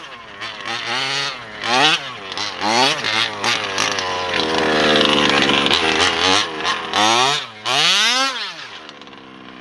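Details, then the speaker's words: Taylor RC 35cc two-stroke with OBR 1254 carburetor in a Losi DBXL 2.0: high buzzy note rises and falls with throttle, hesitating and flat before revs pick up; bog on acceleration at the bottom end, strong top end. Owner plans a bottom-end carb adjustment. "So as you can hear, it kind of struggles a little bit at the bottom end, just when it tries to pick up speed. But once it does, it sounds really nice."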